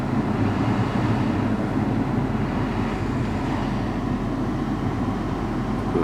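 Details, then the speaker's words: Lexus 200h cabin AC blower at high fan speed: steady low grumbling rumble that vibrates through the vehicle, gone when the blower is switched off; noisy blower motor. "you can hear it and it's not grumble think is coming from under there more than a grumble it actually seems to vibrate to the vehicle."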